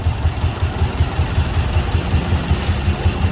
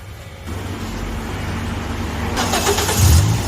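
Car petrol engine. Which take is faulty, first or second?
first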